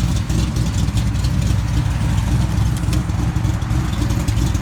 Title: foxbody rod knock or lifters, part 2